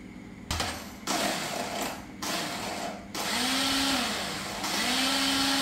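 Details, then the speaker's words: Honda Dream motorcycle: each press of the start button brings a high electric whir with a light rattle and no catch, engine never turns over; starter spins without engaging. "Every time I press the button, it makes a rattling sound"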